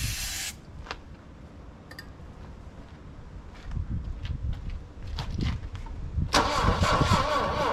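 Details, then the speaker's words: Saab Sonett III, start attempt after sitting in mud since 2012, distributor found loose so timing guessed, stuck valve straightened earlier: starter turns it evenly with faint chuffs but it never catches; owner suspects weak ignition, plug gap too wide. "come on come on she just not going to go almost wanting to go"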